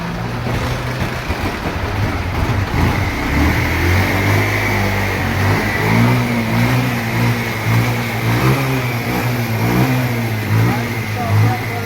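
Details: Bajaj Pulsar 150 single-cylinder, misfiring and possibly water in the fuel, after cleaning the clogged fuel tank: note climbs cleanly through several blips and drops back without popping or hesitation; runs and revs healthily.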